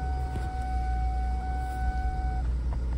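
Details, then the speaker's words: 2000 Mercury Sable daily driven for about two years: starts and idles with an even, steady low rumble and no knocks or misses, with a dash chime early on. "I'll start it up for you guys real quick as you can see it runs perfectly"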